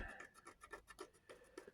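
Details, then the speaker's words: Mitsubishi L200 B40 engine strip after oil starvation: a fingernail dragged over the main journal gives a rough scratchy rasp that catches on deep grooves. The journal is badly scored and stepped, the mains are gone, and a new crank is on order. "So the crank's knackered. You feel that with my nail, you can hear it. Not good."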